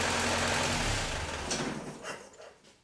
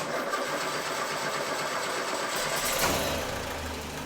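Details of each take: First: Land Rover 2.25 petrol engine test-run before rebuild install, rough idle dying at shut-off with a few sharp pops blamed on fuel from a dirty carburettor with green deposits blocking small ball valves; the carburettor needs rebuilding. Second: Freshly rebuilt Land Rover 2.25 petrol engine after a carburettor rebuild and fresh fuel replacing years-old petrol: catches and settles into a steady even idle, no popping or misfire; running clean.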